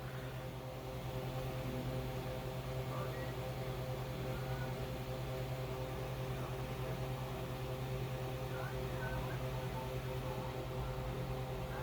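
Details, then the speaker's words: Customized Xbox 360 Slim with red dot of death false overheating, no HDMI plugged in: fan kicks on with steady low hum and faint airy whoosh, even and unbroken, cooling fan running normally. "all right so let's try it out fan kicks on light is on"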